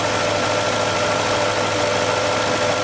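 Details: BMW M62 V8 idling smoothly and evenly, without the chirp or squeal it had before the belt tensioner was properly tensioned.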